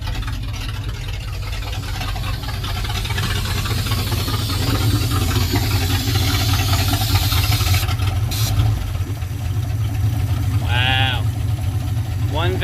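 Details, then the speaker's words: 1967 Dodge D100 being revived after radiator install, screw turned a full turn: deep, even rumble holding a steady idle with no stumble or misfire; runs great with no apparent water leaks. "okay that thing sounds really good wasn't expecting to just idle perfectl"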